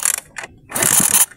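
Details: Honda XRM-type motorcycle that won't start; spark at the high-tension wire tested good: quick ratcheting clicks from repeated kicks with no firing, because the fuel tank is empty.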